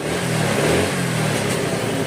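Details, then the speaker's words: Older carbureted Honda Vario 110 after carburetor service and idle speed adjustment: clean rev rise on throttle and smooth fall back, no stumble or popping; carb well set. "Oke, kita gas, mantap."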